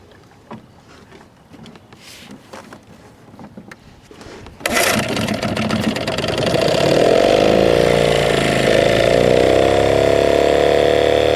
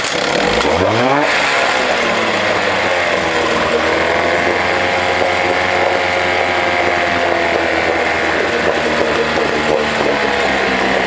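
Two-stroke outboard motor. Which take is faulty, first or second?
first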